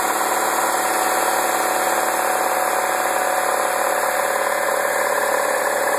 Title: 2009 MINI Cooper Non S rattle noise